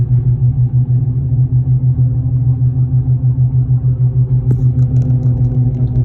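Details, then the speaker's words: 2015 Ford F350 at road speed: deep droning hum swelling and fading about three times a second, a womp per tire revolution, louder with weight, changing with steering, felt in the steering wheel; no play, no ABS light. Worn front wheel hub bearing. "If you hear this sound in your car, chances are you have a wheel hub bearing unit going out. Gets louder when you put weight on it, changes with steering, and with the revolution that you're hearing, the womp, womp, womp, womp, womp, womp, that's per revolution of the tire."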